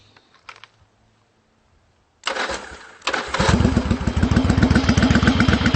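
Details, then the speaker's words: 1992 Yamaha Virago XV750 V-twin with slash-cut Jardine Rumbler pipes with baffles and Dynojet stage 1 jets, carb bowl gaskets replaced and mixture screws adjusted: brief starter whir, then catches into steady lumpy loping idle, running clean; normal start. "so i made sure that this thing is working for the summer and seems to be running great and i'll start it up for you she sounds wonderful"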